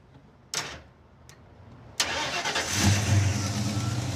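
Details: Roadkill's Raunchero, starting after the starter was jumped because the original wire lacked the current to throw it: a sharp click, a short crank, then it catches at once into a steady, even idle. Normal start.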